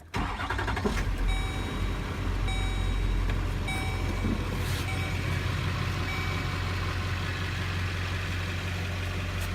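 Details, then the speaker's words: 2006 Chevy Express 3500, 6.6 LLY Duramax diesel, 210k miles, just after fuel filter change and fuel pump priming to purge air: cranks briefly, catches and settles into steady even idle with chimes; clean normal start. "Alright, and now the fuel pump has stopped running. So that means that I could start it."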